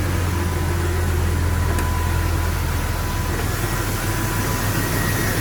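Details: 2000 Jeep Cherokee XJ just after five-day engine replacement: steady low hum at idle, even and unbroken, no knocks or ticks; normal idle.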